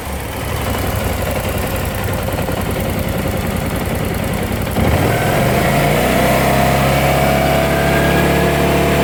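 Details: BMW C600 scooter engine idling then revving: a busy metallic rattle about three per second that rises with revs; owner suspects the timing chain.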